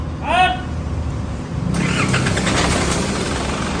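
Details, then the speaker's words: Isuzu D-Max diesel, many parts already replaced yet still won't start; jump-starting tried, battery suspected: starter turns the engine over sluggishly and it never fires, a lazy crank that fades out; slow cranking, no start. "นะชื่อนะโอเคครับเครื่องช้าไปช้าไปลองพ่วงกับเครื่องกับเครื่องอ้าวพวกใหม่และอีกทีนึงอันนี้นะมีปัญหาที่แบตเตอรี่"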